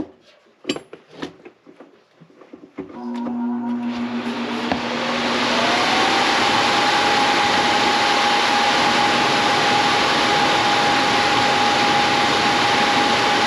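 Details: Coleman Presidential II furnace blower after repair (previously noisy, suspected worn bushings; fixed with spare parts): after a few clunks it spins up with a steady rising hum leveling into an even whoosh, no rattle or scrape, running healthy.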